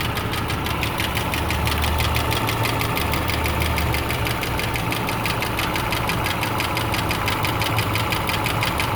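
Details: 2008 Subaru Legacy 2.5i Limited idling: fast light ticking about three per second from passenger side over rough idle, with P0303 cylinder 3 misfire code and check engine light; owner suspects rod bearing, lifter, valve adjustment or timing.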